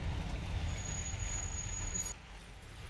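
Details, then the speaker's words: Car front brake squealing thin, high and steady over road rumble while driving on the highway, in traffic and at traffic lights; left side, where the disc edge was only lubricated, not trimmed, kept squealing. "свист был как по трассе свист был когда я ехал в пробке либо на светофор кстати светофоры это отдельная симфония скрипов"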